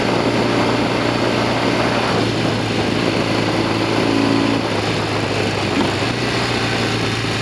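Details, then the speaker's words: Norton Commando 750 road test with two Amal float bowls fitted: steady twin drone with wind rush, no knocks or clunks from the back; rear wheel clunk fixed, normal running. "I want to see more than anything if the rear wheel is behaving itself. I don't want to hear that clunky noise come back."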